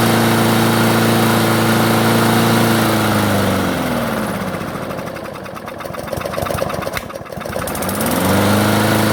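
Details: Craftsman self-propelled mower, carb previously cleaned: starts and runs only at low idle, stalls when self-propel engages or when cutting. Steady low idle, speed sags and nearly dies before recovering, won't pick up revs; suspected clogged carburetor main jet.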